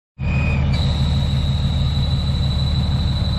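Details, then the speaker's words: Third-generation diesel truck, which has broken down again, starts fine, then after about 30 seconds gives a steady rumble with a high squealing scrape at a fixed pitch. A burning smell is said to follow; the rubbing cause is unknown. "usually takes like a 30 seconds then he'll start scraping"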